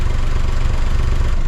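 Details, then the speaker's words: 2008 Smart Fortwo Pure 451 71 bhp three-cylinder after welding a new catalytic converter/silencer mounting bracket: steady low idle thrum with no rattles or exhaust blowing; earlier knock was silencer hitting rear suspension arm, now gone. "everything is sounding really great no blowing from the exhaust no"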